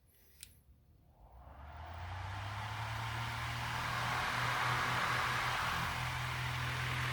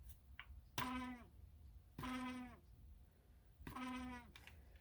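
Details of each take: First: Lasko fan, USA-made, after drilling holes to cure shaking: spins up over a couple of seconds to a steady, even whir with low hum and no wobble; running smoothly. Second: Vintage USA-made Lasko fan: three short high squeals about a second and a half apart, each sliding down in pitch, as the small motor labours; owner checks shaft play and suspects something out of balance.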